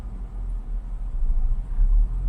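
A petrol car engine idles with a low, uneven rumble that swells and sags instead of holding steady.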